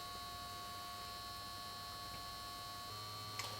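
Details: 1953 Chevrolet Deluxe Two-Ten tube car radio, model 986668, vibrator supply at 6 V, about 600 mA, reforming electrolytics as B+ climbs past 200 V toward 255 V: quiet steady buzzing hum, unchanging pitch, no stutter or crackle; normal, power supply judged good.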